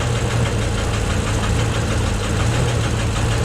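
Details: Deep, uneven knock under a lumpy idle with occasional puffing, valve cover off after penetrant and ATF/oil flushes. Rough slow, better at high idle. Owner suspects the cam or an exhaust valve not closing completely; heads may need removal.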